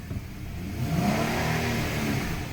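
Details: Dodge Caravan automatic transmission never serviced since bought at 55k, codes P0740 P0944 P1790 P0846 P0848: engine revs climb and hold high with whining while the van barely moves, a slipping transmission that needs replacing.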